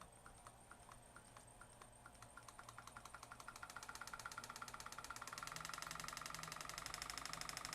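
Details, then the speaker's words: Waterpik SF-03C/SF-03W flosser pump motor powered directly from bench supply at 1.6-2.1 volts: quiet motor with fast, even pumping ticks building up and staying regular; motor runs perfectly. "we're at 1.6 Vols 2.1 Vols the motor is running perfectly drawing 33 amps you can kind of hear it"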